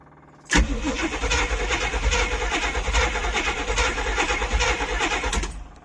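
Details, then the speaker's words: 1972 Barth motorhome sitting for 15 years, first start attempt: steady starter churn for about five seconds with no firing, suspected no spark; it fired up after a distributor cap and coil from another vehicle were fitted. "All right, I'm thinking we got no spark."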